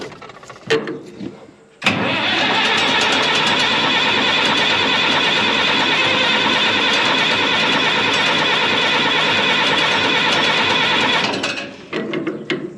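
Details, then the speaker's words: 1965 Minneapolis Moline G707 diesel tractor parked 13 years, at full fuel after tank pressurized: steady cranking about three turns a second for nine seconds, never fires; no start from lost prime, air in injector lines. "Okay, we're going to work at this a little harder, aren't we? Grab a wrench and start cracking injector lines."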